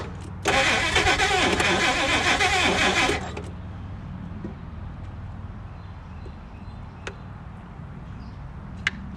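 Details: 1956 Chrysler Windsor, not run in at least 5 years, just had its rebuilt starter refitted, fuel fed from a gas bottle, fuel pump and tank condition unknown: starter churns steadily about three seconds without catching; cranks but won't start.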